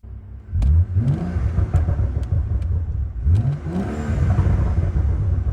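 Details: BMW M135i after full rebuild from a wrecked state: pitch climbs strongly twice under acceleration with sharp cracks between pulls; engine revs freely and sounds healthy, normal revving.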